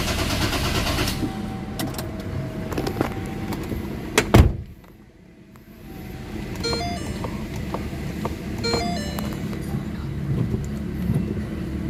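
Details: Ford Ranger common-rail diesel just after bleeding fuel filter, common rail, pump and injectors: rumbles up after cranking, a door thud, then steady even idle; fuel system primed, engine starting normally.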